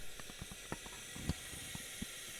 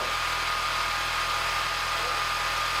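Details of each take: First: Peugeot 207cc during leak-down test after timing adjustment, listening in the sump: faint steady hiss of air with stray clicks, presumably leaking past the piston rings; reading about 28, within 10 of cylinder one. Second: Peugeot 207cc after slipped timing and resetting the timing: even, steady idle drone with a faint constant whine on top and no knocks or misfires; idling smoothly.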